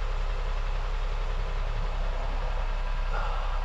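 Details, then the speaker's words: 2001 Honda Insight gen 1 hybrid, about 320,000 miles, off the road 7 years, idling cold in a garage with bonnet up while battery status establishes: quiet steady low hum, even beat, no knocking or ticking; normal idle. "even when they're stone cold they're surprisingly quiet"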